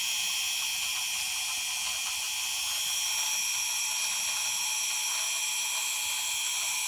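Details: Xnova 2204 motor: a high, thin whine with an uneven rattling tick about three times a second, an abnormal ratcheting noise of unknown cause.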